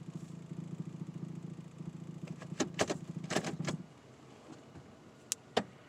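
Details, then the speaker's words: 2007 Toyota Tacoma PreRunner at idle: low rough droning vibration buzz in reverse and drive, gone in park and neutral, with clicks and clunks during shifts; replacing the exhaust manifold gasket didn't fix it, transmission mount suspected. Unconfirmed. "okay it's making the noise now it's stopped i don't hear it in neutral i think i've heard it neutral before but i don't hear it now okay you can hear it in reverse put it apart it went away in part came back in reverse"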